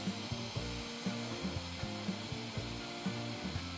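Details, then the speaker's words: Bambu Lab A1 3D printer printing lines over inserted steel washers in a tool-kit case, center support added to shorten the bridge span: stepper motors sing while the nozzle taps irregularly on a filament strand sticking up. "I've added a center bus to try to make the span smaller you can hear it's knocking on a bit sticking up don't worry too much"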